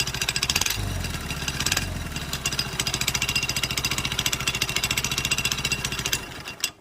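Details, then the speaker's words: Motorcycle after a full engine rebuild (cam, rocker, timing chain), running with the engine oil drained for diagnosis while revved: a fast, even rattling clatter that fades as revs drop, caused by play in the clutch housing. "तो जो sound आ रहा है वो इसका जो clutch housing है इस पे प्ले है इसलिए साउंड आ रहा है"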